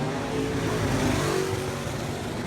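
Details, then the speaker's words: A-mod race car, first laps on a fresh engine at test and tune: with throttle floored it bogs and stumbles for seconds before clearing out and pulling; owner suspects fuel pressure and carburetor issues. "my foot was to the floor the thing it slowed up so bad it will not it won't accelerate so you can see it's taking seconds before it clears out and actually starts to run"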